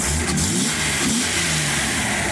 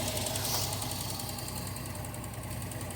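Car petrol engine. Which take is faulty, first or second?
second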